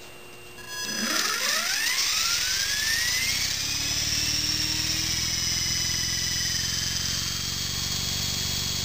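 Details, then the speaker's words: Honey Bee King V2 RC helicopter, stock, being repaired and tuned, spooled to about 40% after flattening blade pitch; electric whine rising to steady high buzz with faint beat, blue blade running about 1/4 inch higher than red; rotor blade out of track. "So what we saw, I don't know if you can see it in the video, but the blue one, the blue blade, is running about 1/4 of an inch higher than the red blade."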